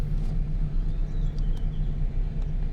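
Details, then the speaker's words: Mitsubishi E-Car, warm, after an idle speed repair (valve adjustment), idling with AC compressor cut off: steady, even low drone with no stumble or hunting; idle holds with AC on or off and in gear. "เดี๋ยวรับประกันโอเคเลยอ่ะรอบไม่มีตกนะครับเปิดแอร์นะครับปิดแอร์เปิดแอร์ปิดแอร์นะครับเข้าเกียร์นะครับรอบไม่มีตกนะครับ"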